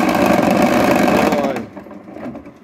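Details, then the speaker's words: Activator-type washing machine running dry, no water, turning both directions: smooth quiet motor hum that winds down and stops, no knocking; knocking had come from a broken activator, bushing and seal. "видите как тихонечко работает что в ту сторону что в ту сторону тишина тишина"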